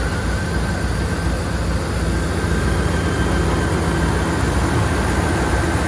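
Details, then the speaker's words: 1999 Dodge Durango with over 300,000 miles, fitted with a remanufactured replacement engine for oil consumption, running after the distributor timing was set; a deep, steady, even rumble with no knocks, ticks or misses, which is normal running. "pretty satisfied with that sounds really good"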